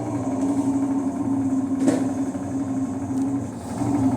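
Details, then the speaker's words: Electrolux LT11F washing machine during drain: steady coarse hum with a rough rasping edge, at times very strong; worn, noisy drain pump. "gente começou a fazer o barulho que é o que eu falei bomba Roca Ó tem hora que ele fica bem forte"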